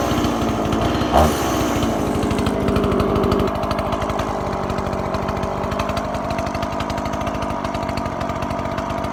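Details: Stihl MS180 two-stroke chainsaw after repair of a flooding, stalling no-start problem: steady idle with an even buzzing rattle and no stalling or stumbling.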